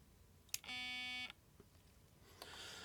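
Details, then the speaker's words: Nikon Speedlight SB-700 flash, dropped, switched on with batteries close to the mic: a click, a half-second high beep, then a brief whir as the zoom head jams and shows an error; the zoom motor axle's plastic bearing had come out of place. "And then this error comes in the display because something in here is stuck."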